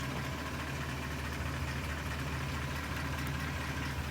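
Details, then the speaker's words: BMW M62B44 V8 at idle: dull, hollow knock repeating under the running noise, piston slap against cylinder wall, clearest from under the right wheel with hood closed and on throttle release. "Чем дальше, тем слышнее. Ну, не знаю, камера передаст или нет. Но вот сейчас его очень хорошо слышно, этот стук."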